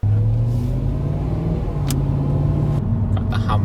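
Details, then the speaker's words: Volvo V70 with swapped-in V8, first drive: low droning hum and grinding from the rear holding pitch with road speed; first suspected a wheel bearing, but the entire rear differential was worn out, later fixed by swapping rear subframe and diff. "We initially thought this grinding noise might be as simple as a worn wheel bearing, but this didn't turn out to be the case. We actually discovered the entire rear differential was worn out, causing the noise,"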